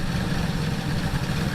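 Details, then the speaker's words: 1976 Ford Ranchero 500 V8 after carburettor spacer fix for a vacuum leak, vacuum advance hooked up, timing 15° initial to 40° total: deep steady lopey idle, normal, no misses. "That way when you put it in gear, then it comes down, it's got the loper doper doper doper doper."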